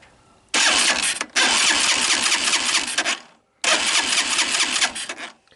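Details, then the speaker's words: Tao Tao ATA200D ATV bought cheap as a non-runner, starter test with the engine turned over: two bursts of quick, even cranking chuffs over a steady starter whirr; compression sounds healthy. "So it sounds pretty good. Sounds like it's got compression."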